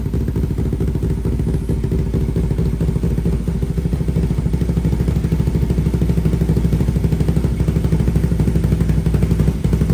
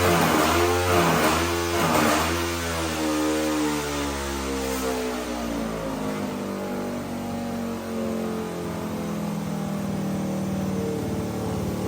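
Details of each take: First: 500cc single-cylinder mini bike at fast idle with new full stainless exhaust and high-flow muffler, quick, even popping and no rattle after the loose baffle screw was refitted; exhaust sounds right, carb still needs tuning. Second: 500cc mini bike after carburetor tuning with new stainless exhaust and high-flow muffler; revs climb then fall slowly and hang above idle, not revving out fully, owner suspects lean running; baffle then blew out.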